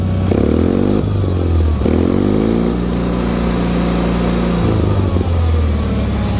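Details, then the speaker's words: Bolens HT-23 garden tractor warming up, previously flooded and shooting fire from the exhaust: steady, even beat with a couple of clean throttle changes, no misses or knocks, charging normally; normal running. "just let her get nice and toasty warm she's charging she sounds good"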